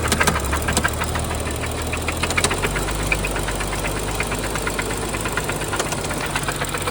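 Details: 2012 BMW 135i N55 engine at idle: sharp metallic ticking knocks repeating steadily above the engine hum; rod knock or lifters suspected, cause uncertain.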